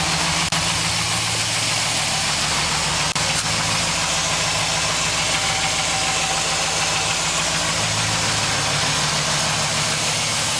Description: 2006 AWD Trailblazer SS piston slap cold start.